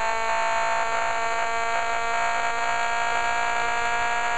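A steady, even whirring hum with unchanging pitch and no stumbles, so this fast-spinning pulse motor is running smoothly.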